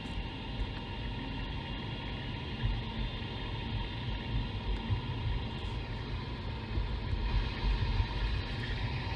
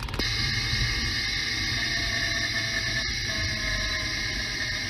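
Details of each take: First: Mercedes E500 4Matic driven at 25 mph, ChassisEAR microphone clamped at the driveshaft centre carrier bearing; steady even low rumble with no whine, grind or knock: normal bearing. Owner is hunting a 35-40 mph lift-off driveline whine. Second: Mercedes E500 4Matic lifting off the throttle: a steady high whine over the driveline rumble, picked up by a ChassisEAR contact microphone clamped on the rear differential, identified as the bad differential.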